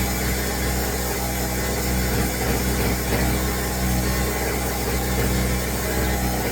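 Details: Pulsar 1200W portable generator on choke just after starting: buzzy small engine running fast and rough like a weed whacker, with an uneven sputtering beat through the drone.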